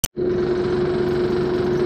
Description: I am on a service call the HVAC system is vibrating loudly. I get up to the unit and the blower section is vibrating. I find the spare belt inside the blower wheel.